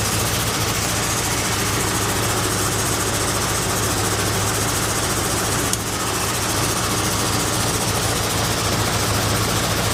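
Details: John Deere 401C diesel tractor on its first start after rebuild, throttle at about half: loud, uneven diesel clatter with a wandering beat, running rough for unknown reasons; the flex hose between oil cooler and tank was left off.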